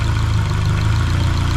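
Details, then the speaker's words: Junkyard-rebuilt Honda K24A2 engine swapped into a CRX, first start with a heater bypass fitted, idling with no foot on the pedal: a steady, even, quiet low thrum around 900 rpm, no knocks or misses, loud only when throttled. "okay we're going up i think it's about 900 rpms right there yes sir look at that now honey yo this thing sounds good dude it's so quiet and tell you until you throttle it"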